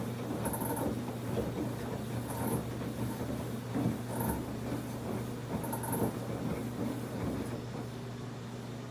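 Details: Samsung WF1124 front-load washer: quiet rumble with rough thump and hiss about every two seconds as drum turns; noise growing more frequent, once only on spin, now loud during wash too; cause unknown.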